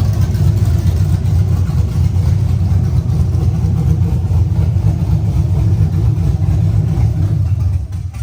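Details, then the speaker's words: LSA-swapped Chevelle idling with a loud, lumpy low rumble that holds about eight seconds, then sags, fades and dies; owner suspects O2 sensors too far from header ends cause the stalling, not confirmed. "So, side note, it's dying probably because the O2 sensors are like this far from the end of the header and it just does not like that."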